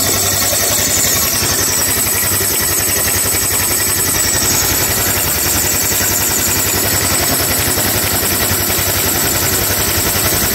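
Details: Honda Click 150i scooter after overheating from lost coolant, bypassed thermostat and resulting overhaul, coolant refilled: steady, even idle with smooth quick beat, no knocking or rattling, now quiet and started on one click; normal idle before break-in.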